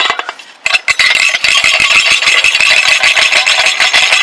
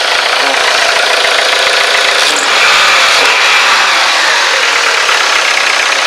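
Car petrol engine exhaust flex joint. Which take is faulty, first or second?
first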